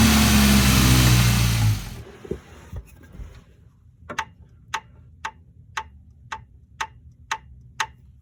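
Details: Suspected worn rod bearing on a 2005 Ford Ranger 2.3L: a sharp, regular knock about twice a second over a low engine hum. Cause suspected, not confirmed.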